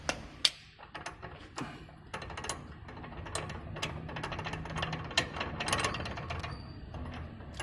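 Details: BMW X6 that came in with a rattle from the exhaust side of the engine: loose, uneven clicking and clattering as the removed turbo is turned by hand. The turbocharger is worn, and it was replaced.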